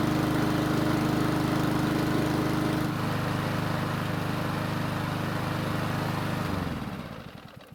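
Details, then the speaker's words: Ariens mower, after carburetor work following long storage, for a no-start-when-hot problem: small single-cylinder engine runs smooth and steady, then winds down cleanly. After about 10 minutes at full temperature it restarted, though not gracefully. "So fortunately for us, it did restart, and even though it wasn't the most graceful restart I've ever heard, at least it started."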